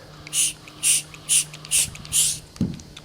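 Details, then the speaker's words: 1991 Cadillac Brougham with code 32 in cold weather: vacuum applied to the EGR valve gives five sharp bursts of air hiss and no diaphragm movement. Ruptured EGR valve diaphragm (vacuum leak), valve stuck closed. "what you're looking for is this um diaphragm to go inward as you apply vacuum and it just doesn't do anything you can even hear the"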